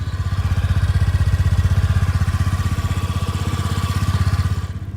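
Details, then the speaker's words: Honda Spacy scooter idling (the stand cuts the engine when lowered): soft, even putter with no knocks, rattles or misses, remarkably quiet; normal healthy idle. "inanılmaz acı sessiz çalışma arkadaşlar yani gerçekten sesi duyulmuyor desem yeri var"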